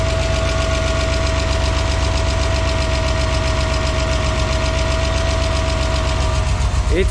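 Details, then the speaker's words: BMW E34 Touring, M50B20TU engine dry about two years, first start after oil pan replacement and 6 liters of fresh oil: steady fast low thumping idle with a harsh, uneven edge; runs rough, cause unclear. "Wow it runs yeah okay that's a weird sound but let me see"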